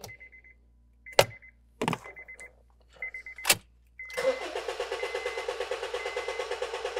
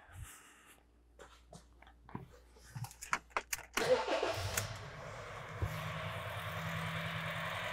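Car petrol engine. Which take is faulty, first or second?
second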